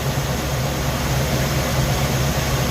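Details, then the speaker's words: Suzy's warm V8 idling with the ignition timing way over-advanced (timing light shows it at the top, originally set by ear): a steady low rumble with a slightly uneven, lumpy beat. Later resetting it to about 10 degrees smoothed the idle. "but check out where the timing is it's way advanced granted i did do this by ear you can see it right at the top there"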